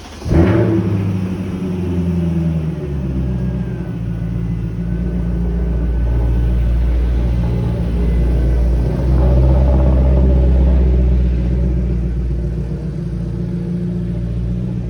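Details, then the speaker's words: High-mileage BMW E39 5-series with M62 V8 started in an empty building after replacing tension struts and lower control arms: catches and settles into a deep, even rumble with smooth throttle blips, no knocks or rattles, a healthy V8. "But once we cleaned up, I got to start the magical sounding M62 V8 in an otherwise deserted building and hear it clear its throat before we left for the night."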